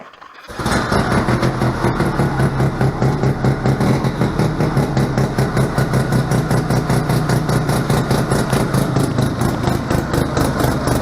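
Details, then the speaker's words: A 1971 Arctic Cat Panther 303 Wankel rotary snowmobile with a Spirit recoil conversion, started up; it catches after a quiet moment, then settles into a fast, even buzzing run with a steady low drone. Normal rotary running sound. "They got their own sound to them."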